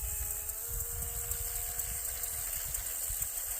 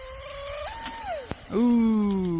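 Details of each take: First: Wooden shrimp rigger RC boat on first water run, TP Power 2967 5250kv motor, Shark G2 100A ESC, modest prop: high steady buzzing whine at even full-speed pitch with water hiss underneath; drivetrain pulling cleanly, no knocks. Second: Wooden shrimp rigger RC boat, TP Power 2967 5250kv motor, Shark G2 100A ESC, first prop run: high whine climbs and dips, sharp snap, then whine surges freely unloaded; flex shaft previously repaired with JB Weld snapped, prop lost.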